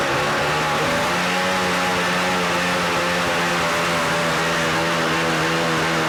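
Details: 1983 Evinrude 50hp outboard, carbs being serviced, throttle linkage with lost motion having no effect on idle: fast steady buzzing drone that won't drop back, nearly runaway; high idle.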